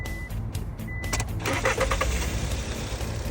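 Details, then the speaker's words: Car that previously stalled when the accelerator was released, after EGR valve repair; two chimes, then the engine starts without throttle and settles into a steady, even idle with no stumbling or stalling. "look the car starts I didn't step on the accelerator very powerful let's go go to the front and have a look do you see it the engine runs very smoothly all the problems have been solved"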